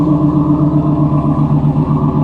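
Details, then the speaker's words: 1994 Pontiac Firebird Trans Am, first running after refuelling an empty tank: deep, even idle with a steady low burble and no stumbles or ticks, sounding healthy. "Listen to it purr. Oh, that's beautiful. That is beautiful. Seriously, it was just out of gas."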